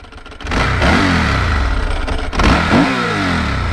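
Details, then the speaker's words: 2001 Ducati 996 V-twin sport bike, about 20 years old, starting and revving: lumpy V-twin with a loose dry rattling clatter like rocks in a dryer from the dry clutch, normal for this bike. "man that dry clutch sounds like a bunch of rocks in a dryer"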